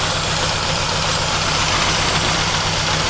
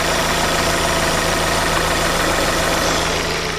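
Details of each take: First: 2010 Chevy Aveo 1.6 Ecotec with misfires: loud hissing over uneven, stumbling idle from PCV system integrated into valve cover leaking vacuum internally; fix is valve cover replacement. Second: 2010 Chevy Aveo 1.6 Ecotec after replacing the valve cover with integrated PCV to cure a vacuum leak that caused misfires; coolant temp sensor also replaced. Steady, even idle, smooth low hum, no knocks, misses or hiss; running perfectly. Normal idle.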